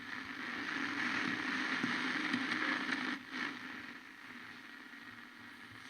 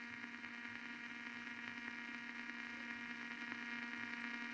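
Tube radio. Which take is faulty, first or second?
second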